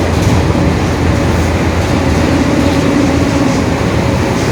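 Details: 2021 Marcopolo Torino S bus on a Mercedes-Benz OF-1721 BlueTec 5 diesel chassis, recorded inside the bus under drive: low drone rising out of the steady hum and road rumble; roaring rear differential whine.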